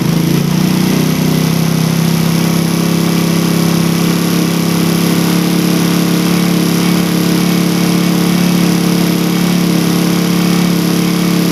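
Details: Engine with a carburettor after the air screw was set by the second method to 2.5 turns, matching the idle method: a steady, even note with a firm low hum and no misses or hunting, running clean and well tuned.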